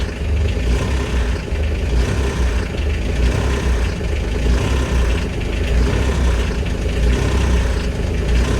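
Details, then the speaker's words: Kubota RTV900 diesel at -8°F on gelled summer fuel: a deep, uneven chug of about 48 pulses a minute, running rough while cold. The key is in glow-plug mode to preheat and push the gelled fuel through the lines. "so i'm keeping the glow plug on let's see if i can get this forced through if i can get it forced through it'll it'll take off on its own okay so i'm not restarting it i've just got it in glow plug mode to help heat it up"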